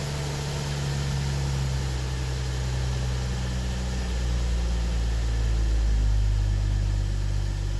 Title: bmw 640 n55 first start after engine swap